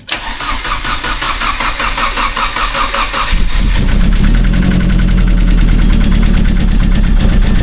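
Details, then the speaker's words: Vauxhall Astra VXR at first start after cylinder head removal and rebuild and a big turbo install: it cranks, catches, then idles loudly and unevenly. The owner suspects a vacuum leak, but this is unconfirmed. "It's just something... I don't know how well you're going to be able to hear it over a video, but it sounds like something stupid. Like It sounds like a vacuum leak or something"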